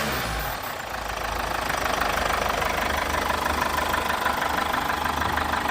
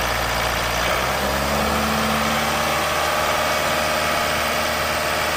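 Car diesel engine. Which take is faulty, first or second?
second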